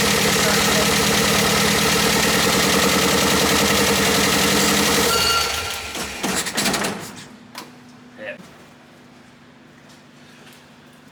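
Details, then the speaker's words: MGB Roadster under restoration, just started with easy-start help: fast, uneven pulsing beat that fades and dies out, not running on all four cylinders; new spark plugs to be tried. "doesn't sound like it's flying on all four cylinders at the moment and um i'll look into that"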